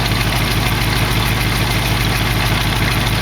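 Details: 1968 AMC AMX V8 at idle after carb work; loud raspy puffing exhaust note over the idle from two exhaust pipes stuck together with at least a quarter-inch gap; exhaust leak at pipe joint.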